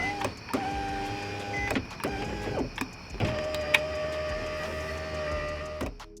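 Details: Nissan 350Z door with newly replaced window motor regulator, tested before final assembly: smooth, even motor whir with steady pitch on each up and down run, stopping cleanly at the ends; window motor working properly.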